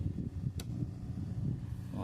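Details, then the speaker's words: O'Neal powered speaker that switches on but plays no sound: low steady hum with a sharp click at switch-on, pointing to a failed rectifier diode in the power supply. "Ela liga, mas tá com um barulhinho, entendeu?"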